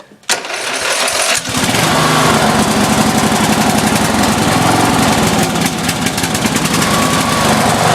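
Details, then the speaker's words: Briggs & Stratton engine on offroad lawnmower, cold start: catches, then runs loud with uneven lumpy surging and sagging; running rough and rich per owner, plans to swap in another carburetor. "I got to go back in I got to get as you can hear it was running rough it's running rich so I got to go and get my other carburetor"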